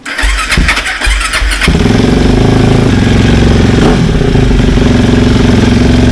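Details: BMW K1300GT after fuel pump repair: a few seconds of cranking, then it fires and settles into a strong, even idle with no misses, knocks or rattles; normal start and idle.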